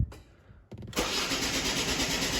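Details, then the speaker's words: 2011 Ford Focus 1.6 diesel with an intermittent crank no start, acting up now, no fault codes stored: a short click, then a steady, even cranking rush that never catches; crank no start. "crank, and that is a crank no start."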